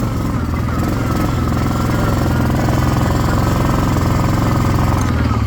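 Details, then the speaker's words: 1998 Yamaha Grizzly 600 ATV, marketplace find, battery wired direct: choppy, uneven low thumping at fast idle, starts well but runs rough; owner suspects bad carburetor, vacuum lines also unsorted. "but you can hear it now it starts up good it soundss a little rough but it does start up good so I really just think this carburetor is just garbage"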